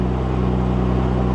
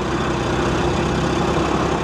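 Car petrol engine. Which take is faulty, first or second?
second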